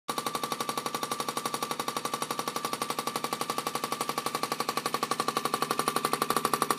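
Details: Haier 1.7 cu ft mini-fridge, under three months old: sharp rapid knocks about three a second, even and relentless, over a thin high tone. Loud repetitive banging, cause unknown.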